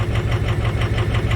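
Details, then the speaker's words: 2005 Ford F350 Super Duty 6.0 diesel V8 idling unevenly with a loping misfire; cylinder contribution test shows cylinders 4 and 7 weak, plus a glow plug fault on cylinder 6; mechanical versus injector cause being tested. "well good day viewers today we have an 05 super duty it's got a miss as you can hear it"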